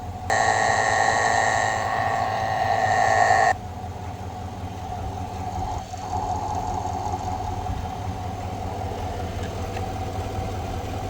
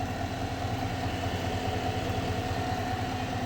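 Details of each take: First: 2020/2021 Chevrolet Silverado V8 after replacing the idler pulley and serpentine belt: steady, even idle heard via funnel at the idler pulley bolt, with the earlier whine gone. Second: 2021 Silverado V8 (electric power steering) idling: a thin steady whine from the engine that rises with revs. An alternator load test did not change it, so a worn idler pulley bearing is blamed; the idler pulley and serpentine belt get replaced.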